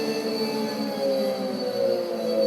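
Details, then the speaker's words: Custom drum motor, 12-pole, run on an 8-pole controller setting: a droning, buzzy, wavering hum and vibration through the table because it is out of phase and the frequency is too low. "That's out of phase. It's grounding right now. It's creating a vibration on the table because it's so out of phase, because it's on 8 pole instead of 12, and the frequency is too low."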